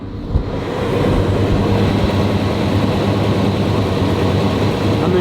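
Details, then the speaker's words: Old K-10 truck V8 idling low and even, quiet with no smoking, shaking or stumble; owner noted a higher idle in park that drops when put in drive; healthy normal idle. "this is baby perf you guys can tell me what you hear this the straw that smell too of just America just an old K-10 I love it the motor's quiet"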